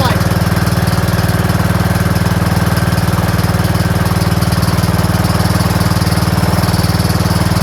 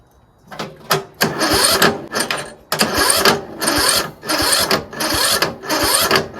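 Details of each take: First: Troy-Bilt Pony lawn tractor single-cylinder after valve adjustment and reverse-operation safety switch unplugged: steady very even thumping with no stumbles or skips; starts and runs healthy. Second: Troy-Bilt Pony lawn tractor, free: slow, labored cranking in short bursts that bog and stop at each compression stroke; valves likely out of adjustment, possibly automatic compression release fault.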